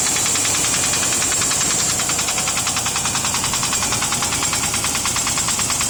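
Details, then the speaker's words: Range Rover P38 cold start idle a few hours after an oil change: crisp light top-end ticking three to four per second at an even beat, getting louder; cause unknown. "a few days late a few days ago I got an oil change a few hours later this is what I heard there's a cold start by the way actually getting a little louder"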